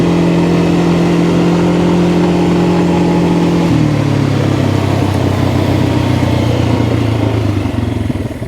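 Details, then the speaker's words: 2022 Kawasaki Brute Force 300 ATV (complaint: lost low gear), after repair, test ride in low/high, mic without wind sock: steady drone, pitch drops cleanly as belt shifts, even and smooth; sounds really good, normal running. "so let's just see how it runs sounds sounds really good I don't have any"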